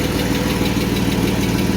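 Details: 1991 Mercedes 190E idling with a puffing, chuffing exhaust pulse from the rear: the unsecured rear exhaust section leaks and rattles; front no longer leaks, tightening bolts only slightly quieter.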